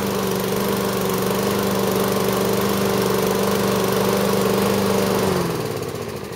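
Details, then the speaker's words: Toro lawn mower with Tecumseh engine after repair: steady even engine note with smooth firing beat holding speed until shutdown; normal running. "As you can see, it runs really well."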